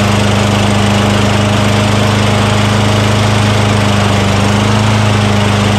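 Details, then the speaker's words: Craftsman self-propelled lawn mower with 6.75 Tecumseh single-cylinder engine, a curbside trash find, just started after priming the intake with spray degreaser during oil sludge drain repair; loud steady drone, even firing, no stumbling, normal running. "all right how about that huh from the curve to running"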